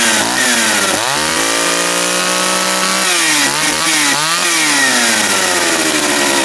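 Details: Japan-made John Deere EV45 chainsaw, first start after a carburetor rebuild with new diaphragm: catches at once and holds a clean steady high buzz, rising and falling evenly with throttle blips; normal running.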